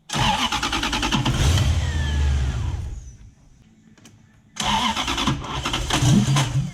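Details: BMW E36 coupe with a swapped UCF20 Gen2 Toyota 1UZ-FE V8 that arrived not running: the starter spins the engine quickly and unevenly in two bursts but it never fires. Cranks with no start.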